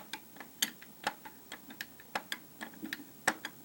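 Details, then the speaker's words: Opel A18XER engine with high oil consumption and knock, disassembled, engine stopped: uneven sharp metallic clacks about three a second as the cam phaser is rocked on locked gears, unlike the other camshaft; worn cam phaser with excessive play. "как клацает для сравнения Вот например на вот этом валу такого нет"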